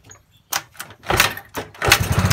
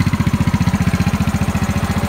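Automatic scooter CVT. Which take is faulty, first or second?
first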